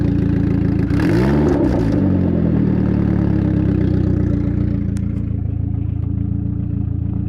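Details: Saab 9000 petrol engine idling with a loud, coarse, tractor-like chuffing rumble that swells through a brief rev, from an exhaust leak.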